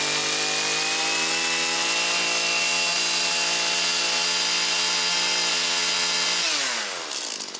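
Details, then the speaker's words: Husqvarna 325P4 pole pruner after repair: electrical tape wrapped on and the fiberglass sleeve crimped; fuel lines, fuel filter and purge bulb also replaced. High, steady two-stroke scream holding even revs, then a clean wind-down. Normal running. "Alrighty guys, we got the Husqvarna pole saw going once again"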